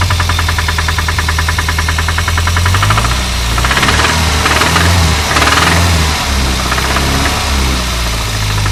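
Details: Renault 25 engine at idle: quick uneven knocking over steady running; owner asks what is knocking, cause unknown.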